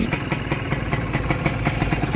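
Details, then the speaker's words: Honda NSR two-stroke with a Keihin carburetor and a stainless DBS exhaust, apparently freshly rebuilt with new gaskets and then parked for months: slightly raised idle with steady, crisp popping and no rattle or knock; a quiet, healthy engine. "เครื่องยนต์เงียบกิ๊บครับน่าจะฟิตมาใหม่แหละ"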